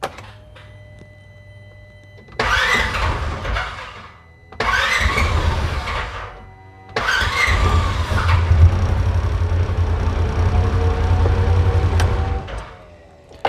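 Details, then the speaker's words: 2016 Polaris Ranger 900 XP with crank-no-start issue, battery charged to 14.4 V with no change; two long cranks that don't catch, then a third that fires into a lumpy, uneven run. "It is starting sometimes, but I'm sure you guys can probably hear how rough it is running once it does start."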